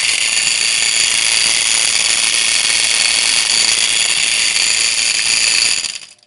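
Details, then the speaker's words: Antique circulating pump on an electric boiler with two pumps, before the motor is changed: a loud, harsh, high-pitched rattle holds steady for six seconds then cuts out; a worn, failing pump coupler. "Quite the noise, huh? Just all of a sudden."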